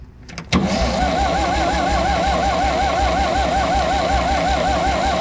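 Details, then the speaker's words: Vintage Scoopmobile LD5P articulating loader (thought late 1940s–early 1950s), sat at least 15 years, ran once then stopped; starter spins the engine evenly but it never catches: points open with no spark between them, so points to be cleaned. "Those points are opening, but there's not any spark in between the points. So we are going to try to clean up those points, see if we can't get spark back."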